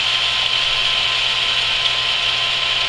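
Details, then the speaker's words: Camp water pump after winter sitting, just primed with hose fully filled; steady even motor whir with hissy water rush, no knocks or rattles while pressure climbs toward 50, cut-out expected 40–50; normal running. "So I'm going to plug it in. We should hear the motor kick in, and it should kick out between 40 and 50 somewhere."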